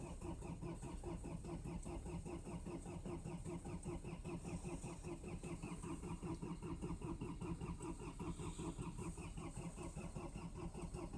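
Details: Cold start attempt at -20 °C, likely the Mercedes diesel that starts hard rather than the Land Cruiser HDJ80: long, even cranking churn at roughly 70-odd beats a minute that never catches; cause not confirmed.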